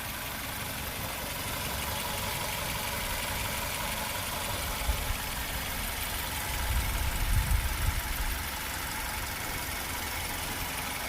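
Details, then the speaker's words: 2021 Maruti Suzuki Swift Dzire Tour CNG (petrol/CNG bi-fuel) idling: a steady, even, low smooth hum with no knocks, misses or vibration; engine running cleanly. "So engine sound అయితే చూడండి so smooth గా engine కూడా ఎక్కడ vibration లేదు చూసారా"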